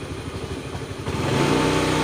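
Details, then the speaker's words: Honda Beat FI scooter idling: small single-cylinder putter drops then swells by itself without throttle input; idle hunting, later traced to a faulty O2 sensor; high-speed running normal. "Putaran idle tidak akan stabil. Harganya naik turun terus-menerus. Seperti ini. Lihat, tuas gas turun dengan sendirinya."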